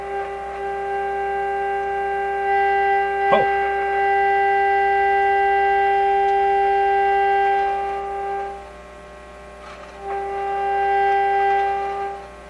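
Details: 1925 Magnavox Type D TRF radio, not working in earlier attempts, now plays clear, steady tones with only faint hum beneath, fading briefly midway; the receiver is working properly, reason unclear.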